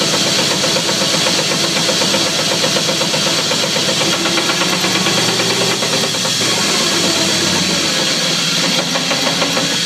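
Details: 2004 Chevy Silverado running: rough, busy mechanical clatter with fast, uneven clunks from the driveline despite a brand-new drive shaft and new U-joints; cause unknown.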